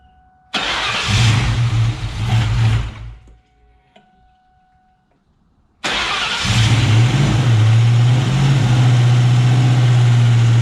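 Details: 1999 Ford Mustang GT with Nemak engine, first start: fires quickly, dies, restarts and settles into a steady even idle with smooth low rumble; about 70 psi oil pressure, transmission line leak noticed.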